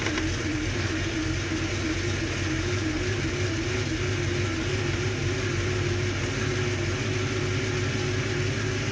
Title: 66 stang rough idle after start-up